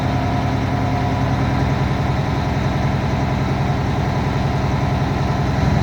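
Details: UPS truck diesel at idle during pretrip air brake tests, pressure rebuilding after brake application: steady low idle with even compressor chug, governor cut-out awaited; normal.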